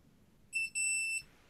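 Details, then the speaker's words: Routemaster bus model pedal switch tested with multimeter on continuity: brief high beep then steadier half-second tone when pedal pressed straight down, switch closing properly. "you actually hear the beeps actually if you push down straight guy rather than pushing with the penny"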